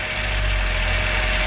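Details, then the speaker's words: 2000 Honda Civic at steady idle: a buzzy metallic rattle over the engine note from a loose exhaust heat shield whose nut is vibrating. The planned fix is a gear clamp around the shield. Exhaust heat shield rattle. "so this nut here is [Applause] vibrating so this heat shield is loose"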